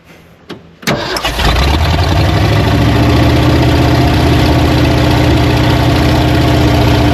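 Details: Old Ford truck, clogged fuel line replaced with rubber line: a short crank, then it catches and settles into a steady, even low idle with no misses.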